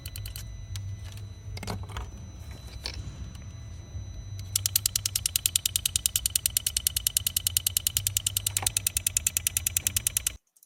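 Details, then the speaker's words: Late-model BMW, tank ventilation (purge) solenoid valve under component activation; quiet engine with crisp metallic ticking about three clicks a second, starting and stopping abruptly: faulty purge valve clicking, needs replacing. "did you see the different between the 40 solenoid and a good one so first we need a new one we need a new solenoid valve"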